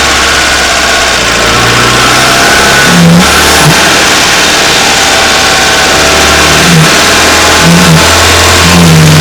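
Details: Renault Wind / Clio III 1.2 turbo 100 hp, microphone under the bonnet, at 2000 then 2800 rpm: revs rise and fall with reedy chirps and whooshes on throttle close from original Bosch 0280142118 dump valve, replaced with adjustable recirculating valve: turbo dump valve noise.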